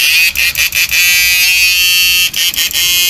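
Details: Repaired 9999000W 14T black inverter (new version no.3) after replacing the protect resistor with 4.7 to stop it cutting out: high steady electronic buzz with a few brief dropouts, no crackling; sounds normal.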